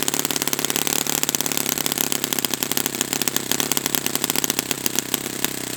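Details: Brand-new Saito FA-100T twin model engine on test stand during break-in run: crisp, even popping at a steady fast rhythm with no misses or sag; running perfectly, normal healthy engine.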